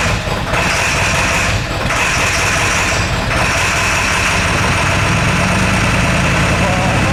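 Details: Ford F250 7.3 Powerstroke diesel, straight pipes, first test drive after high-pressure oil work: loud, uneven lumpy beat, one cylinder seeming to drop out now and then; bleeding air didn't help; misfire.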